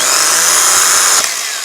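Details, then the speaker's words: Renault Master non-runner starter motor spinning free: harsh high buzzing whine, helicopter-like, winding down; bearings sound horrible, starter to be replaced. "even though it sounds like a helicopter, does sort of work. So, I think what we need to do is get a starter motor out."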